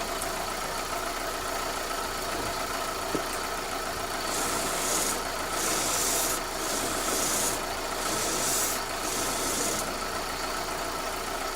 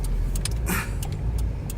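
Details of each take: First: Chevy Optra (2001–04) front end, engine idling while steering is turned: sharp irregular clicks, clunks and rubbing. First traced to the strut, then judged to come from a worn, wiggling or broken CV axle, not the strut. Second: 2001–04 Chevy Optra on a right turn after CV axle replacement: steady road and engine rumble with no clunking; clunk was traced to a CV axle thought broken or wiggling, with torn boot, not the strut.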